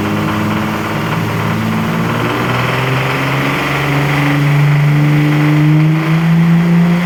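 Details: Infiniti G35 engine at idle and revving: steady tick about three or four per second that climbs with revs; ticking/knocking noise, cause unknown.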